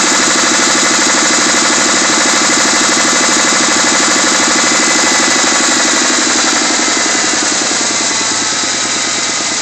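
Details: Mustang 3.2 L V6 just out of the shop with new heads: loud idle with steady, rapid knocking about three per second deep in the engine; owner suspects a spun bearing, unconfirmed.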